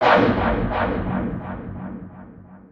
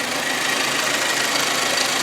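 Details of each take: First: Hyundai Accent engine at idle: after a short musical intro, a fast, even metallic ticking rides over the idle, top-end clatter from the hydraulic lifters. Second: Hyundai Accent 1.6 (102 hp) idling after reassembly with flushed hydraulic lifters (four found faulty) to cure engine knock: even, steady idle with only light quick valvetrain patter, no heavy knocking; normal idle.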